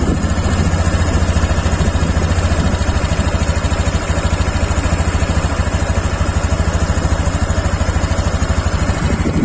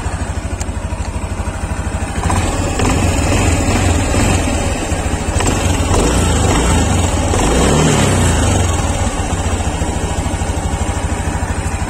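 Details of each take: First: Honda Beat Deluxe 2023 scooter after eight months of use, idling: quick, even putter with no knocks, misses or rattles and fairly quiet valve noise; healthy engine ticking over smoothly. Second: Honda Beat Deluxe 2023 after eight months' use: smooth idle, then with throttle a rapid klek-klek rattle following revs from the CVT, not crank or conrod; loose roller slider caps, CVT teardown advised.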